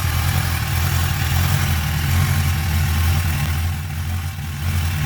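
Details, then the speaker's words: 1993 Suzuki Katana 750 (GSX750FP) four-cylinder, after winter storage since October, already warmed up. A steady, even, low burble with no misses, knocks or rattles; normal idle. "so now I'm going to start it up so you can see it's kind of warm it's warmed up already before I start taking this video"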